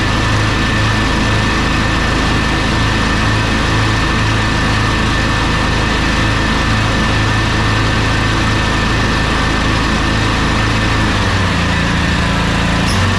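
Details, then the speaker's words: Troy-Bilt zero-turn mower, twin-cylinder, blades running: loud, lumpy, choppy running that bogs under load, running on one cylinder from a bad ignition coil (no spark), customer thought the deck belt was slipping. "at this point it sounds like it's bogging down it sounds like it's running on one cylinder now at that point you're still going to get about 11 horsepower out of it with this deck"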